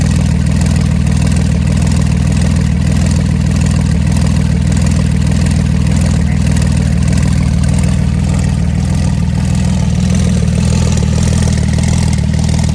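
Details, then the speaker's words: Flood-damaged Porsche 911 Turbo on base map, intercoolers and piping disconnected, Marvel Mystery Oil and 0W40 mix, still slightly smoking; earlier tick no longer heard. Steady low idle, even beat about four a second, no miss; improved idle. "it's looking way better it actually isn't sounding better too where's that dick though i don't hear no tick anymore"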